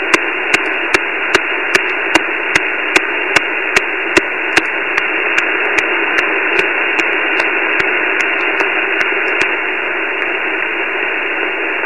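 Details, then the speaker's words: Flex 5000 receiver on 17 m (also 10-20 m, barely 6 m): steady hiss with sharp evenly spaced clicks about 2.5 per second, then stopping; unchanged with house power off, owner suspects neighbourhood, began this morning; RF interference. "i'm thinking it's coming from somewhere in the neighborhood and just started uh this morning so not quite sure yet but take a listen to this noise"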